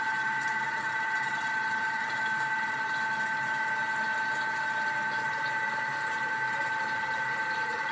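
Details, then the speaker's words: Thermomix at speed 4 whipping cream (cream and water) toward butter: steady even motor hum with faint slosh, no change to a clunk yet; still whipped cream that needs to keep going. Normal running. "Okay, so I didn't hear it change, but I'm going to show you what this is looking like. So right now we have whipped cream. Now this needs to keep going."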